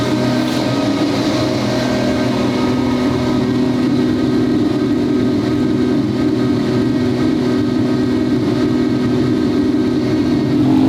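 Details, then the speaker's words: Twin-turbo V12 Ferrari on first shakedown, no load or boost yet, dump pipes not opened: loud smooth V12 roar held on the revs, turbos spooling cleanly underneath, no misses or rattles; healthy turbo spool. "oh it sounds so good with the spool"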